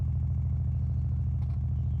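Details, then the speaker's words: High-mileage Rolls-Royce, engine off with ignition on, before its first start: a steady low thud pulsing a few times a second through the speakers, cause unknown. "The speakers are playing some sort of thudding. Can we tune that out? Weird."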